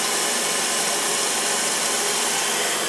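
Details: Mansfield toilet that kept running, after a new gasket, handle and supply line, and after the blocked hose was cut and reattached: a steady, even hiss of water rushing into the tank with no gurgle or sputter. The fill valve refills normally.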